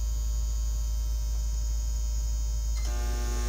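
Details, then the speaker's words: Heart Interface Combi inverter (same fault in Xantrex Freedom 458) with failed electronic snubber, output spiking to 132 V: steady mains hum, then harsh loud buzz from a connected microwave oven run on the inverter. "you can see what happens voltage it's spiked at 132 and the microwave did not like it you could you could hear the microwave making kind of a loud buzzing noise"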